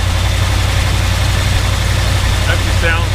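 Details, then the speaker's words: 1977 Dodge W100 Power Wagon 440 V8, stored under cover for years, started cold on ether on a cold day; deep, even V8 burble at steady idle with regular low pulse, no knocking or misses; sounds pretty good, normal idle. "sounds pretty good."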